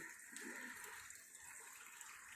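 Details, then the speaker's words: LG 7 kg top-load washing machine on the wool wash cycle: steady, even rushing hiss of water filling the drum at cycle start; normal water fill. "ఇక్కడ చూసారు కదా, వాటర్ని తీసుకుంటుంది. Water level చాలా హైగా ఉండేటట్టు చూసుకోండి."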